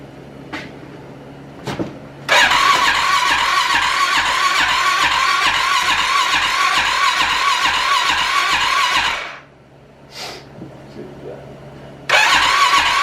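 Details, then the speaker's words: Rebuilt Arctic Cat 650 H1 ATV first start attempt, fuel present, new shift sensor and ignition coil: starter churns steady pulses about four per second for seven seconds, no firing; no spark, caused by bad flywheel giving no ignition-module signal, fixed with new flywheel. "went to go fire it up and we're not gonna lie we're not hiding nothing uh we went to go fire it up and we didn't have any sparks so we uh we're fighting some issues"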